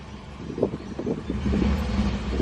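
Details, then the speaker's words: Subaru Outback on a test drive, windows down, after fitting welded-in turbine resonators as a cheap exhaust fix: low, subdued exhaust rumble under light acceleration, much quieter, smooth without rasp or drone; small exhaust leak heard. "It's definitely quieter. Even just doing that, it's a lot quieter."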